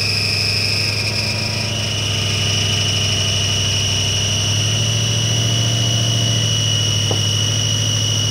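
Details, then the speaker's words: 1996 Ford Mustang GT revived after long sitting, idling: steady high squeal over smooth idle, pitch unchanging; owner suspects alternator not working and causing the noise, unconfirmed. "I don't think the alternate is working I think that noise is probably the alternator so I'm going to let it sit"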